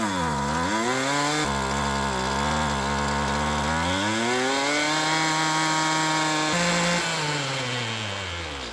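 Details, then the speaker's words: Poulan Pro PP28 two-stroke string trimmer after ether-assisted start: engine drops low, then climbs and holds a higher, steadier idle as idle speed screw is turned up; idle speed adjustment. "All right, let's turn up the idle speed."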